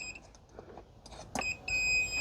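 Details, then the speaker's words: Ford Transit glow plug relay energised on the bench: quiet clicks then steady multimeter continuity beep across feed to glow plug output, open circuit when battery disconnected; relay good. "If I connect it again, it's working. This relay is good, and that's how you test it."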